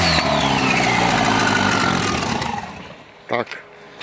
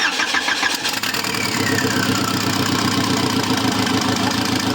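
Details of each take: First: Škoda project engine with no exhaust, very low fuel, just fixed by replacing a faulty fuel pressure regulator; it runs briefly, then the note sags and dies within seconds as the pump draws air from the tank; stall from fuel starvation. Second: Engine start on a project car after the sensor, found shifted 3–4 mm right and causing intermittent no-start, was adjusted; it catches cleanly and settles into a steady, even idle with a busy mid-range note; normal start.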